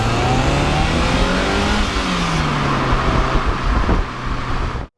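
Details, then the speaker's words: 1996 Toyota MR2 mk2 barn find, revived after over 5 years stored: engine pulls cleanly, pitch climbing smoothly then holding, no knocks or misses; temperature mid-gauge, no warning lights, running faultlessly; normal acceleration. "The fact that I was able to breathe life into it, and the fact that it's run faultlessly all the way."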